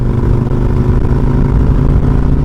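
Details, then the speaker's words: Kawasaki Vulcan Nomad 1600 after new Caltric clutch plates and Barnett spring: deep, even V-twin rumble staying smooth while revving, no knocking or clatter; engine sounds healthy. "But I tell you guys, this baby sounds good."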